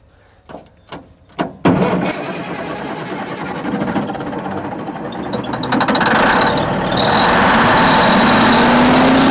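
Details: 1950s Euclid off-road truck diesel, sitting 10+ years, started with starting fluid: a few heavy coughs, then it catches and builds into a loud, steady run; manual fuel solenoid override engaged; normal running after long storage.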